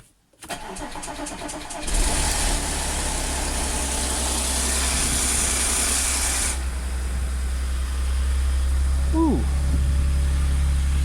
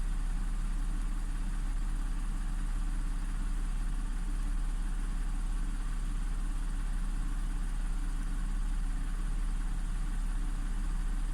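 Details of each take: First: Audi S4 3.0T supercharged V6, first start after driveway repair of jumped bank 2 timing chain (P0016/P0018). Loud metallic rattle over idle for about four seconds then stops, as tensioners had no oil yet; timing chain rattle on start-up. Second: Audi S4 3.0T supercharged V6 after driveway bank 2 timing chain repair (P0016/P0018), no fault codes, both banks' cam adjustment now matching, not yet at temperature. Steady even low hum, no rattle or tick; normal idle.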